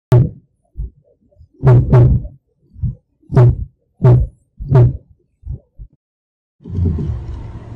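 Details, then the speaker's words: Clunking noise heard from inside the car while the steering is worked: deep, irregular thunks and knocks ending in a rougher rumble. It is attributed to vibration. "Mari kita dengar bunyi lain yang boleh didengar dari dalam kereta ketika mengendalikan stere."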